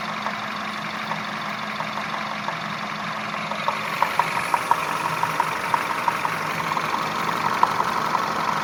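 Small petrol engine idling, then a crisp irregular tapping joins in, roughly three a second; there is a knock, cause unknown.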